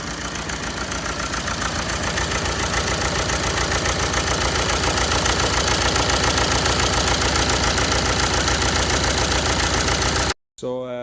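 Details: BMW 320d 3 Series diesel, breakdown, only glow plug fault code: rough uneven chugging idle with loud rhythmic knocking, misfire; heavy carbon buildup around intake, possible coolant leak; mechanic suspects clogged intake manifold and swirl flaps.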